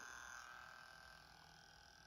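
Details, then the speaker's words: Sanyo M-GP27 personal cassette player on 3 V after new belts and spindle oiling: soft steady high whir of the drive motor, quieter than before, no rattle; normal motor running. "slightly quieter than it was which is great"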